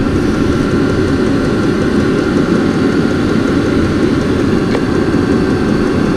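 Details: Vevor 5kW 12V all-in-one diesel air heater running in a shop, very hot exhaust: steady even blower and burner roar with no surging or sputter; normal running.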